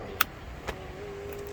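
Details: 2008 Nissan Armada driver-door window, after replacing the motor and regulator: a couple of switch clicks, then a smooth, steady motor hum with no grinding or binding; the window regulator runs normally.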